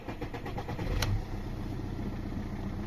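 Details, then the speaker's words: Audi A4 B7 2.0 TDI 100 kW diesel, which the seller says runs and was driven there. It catches quickly and settles to a steady, even idle with no knocks, rattles or misses; normal start. "Iseenesest töötab ka, paneme käima ka. Iseenesest töötab ka ja jutteres, kui ma sõitsin siia ju sellega."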